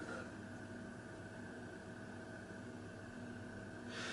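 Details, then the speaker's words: Moss Tropical Breeze spinner ceiling fan (JCPenney-sold) on a solid-state speed control at about 0.19–0.23: only a very faint steady hum just above room hiss, almost bedroom quiet; normal quiet motor hum. "I cannot hear it with anything else in this room the fridge is running but if I can't hear that this is like almost bedroom quiet 0.23"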